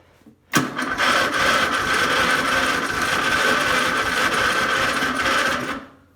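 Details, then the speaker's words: Old Murray, first start in a long time on a charged battery: about five seconds of harsh metallic grinding with high ringing whine while cranking; failing starter motor, owner thinks starter is worn out. "Wow, that starter's frigged up."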